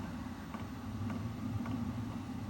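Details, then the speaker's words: Vevor 8 kW diesel heater (2025 model) running on its low setting at 267–270° at the heat source: quiet steady fan hum, about 53–55 dB, with the pump's light knocking tick more audible. "Overall, the unit's a lot more quiet now because of the lower speed of the fan,"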